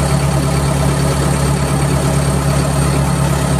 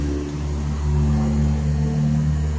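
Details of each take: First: Perkins diesel idling lumpy and uneven, sagging midway, with blue/white exhaust smoke; failing electric fuel pump starving it of fuel, pump to be replaced with a 12 V unit plus voltage reducer from 24 V harness. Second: Turning the key primes the fuel pump with an even low hum and steady whir, no catching or surging; a good pump, tested while fixing engine stalling and blue smoke after a bad 1.8-ohm coil was found.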